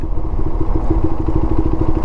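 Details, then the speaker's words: QJMotor Race 250 single-cylinder motorcycle coasting in a high gear towards a light, lugging at about 18 km/h: deep, slow uneven chugging; rider downshifts. "开始喘了，再降个档。18开始喘，再降个档。"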